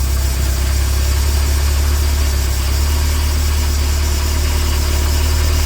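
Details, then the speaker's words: 2011 Bayliner 185 boat with 3.0 MerCruiser engine restarted to warm up: deep, steady idle with an even low rumble and no knocks or misses; it reaches temperature in about 3 minutes and runs normally. "We're gonna let her warm up here. Gotta get up the temperature here."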